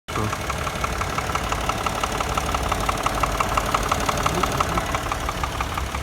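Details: 2008 Subaru Tribeca engine knock: sharp regular knocking about three times a second over a steady idle, with no clear cause.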